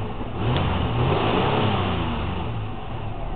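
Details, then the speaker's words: 2000 Chevrolet Blazer, semi-cold start, 145,146 miles: smooth, clean rev that climbs and settles evenly with a steady exhaust note, no knocks or misses; normal engine revving, quiet and running like new. "as you can hear if you can hear it [ __ ] it is that quiet it runs like new"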